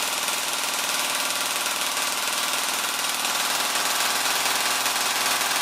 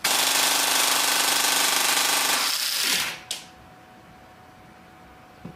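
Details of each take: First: Blaster gearbox pulling a stiff M120 spring on the motor before swapping in a T238 brushless 480 motor: fast, even rattling cycle holds steady about nine seconds then cuts off cleanly without slowing; about 27 A peak, 16 A average; normal heavy-load cycling. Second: Airsoft APS gearbox driven by a T238 brushless 480 motor on full test: a fast, even high-RPM rattle suddenly cuts out, leaving a whir running down. Tappet plate and gears still turn but the piston doesn't; a lost rack gear is suspected.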